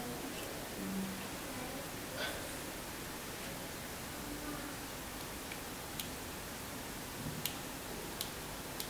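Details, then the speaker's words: Logitech wireless mouse after its button switch was repaired: a few crisp, sharp clicks, one per press, as the small plate under the button presses the microswitch. "because when you press this button this small plate underneath goes and press this one so that's when you hear that click"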